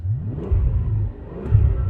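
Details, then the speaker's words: Mercedes CL65 AMG twin-turbo V12, cold, just restarted after misfiring on multiple cylinders: deep even rumble that rises and falls cleanly with the throttle and no stumble; running smoothly off boost, a temporary fix only. "all I have to do to temporarily fix this is shut the car off fire it up again and it runs great"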